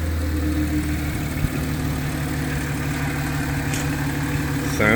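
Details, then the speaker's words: Audi C7 A6 3.0T, Stage2+, just after installing lower heat-range spark plugs: starts right up into a steady, even low idle, smooth unbroken hum with no misses or ticks; engine healthy. "But anyway, let's start this up right quick, see how it sounds. Right up."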